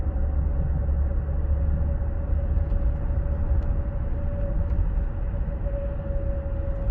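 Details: 2016 Ford Explorer 3.5L, 6-speed AWD, 92k miles: steady mid-pitched whine over road rumble on very light throttle above 50 mph, stopping when the throttle is released; owner suspects transmission or PTU, source undetermined.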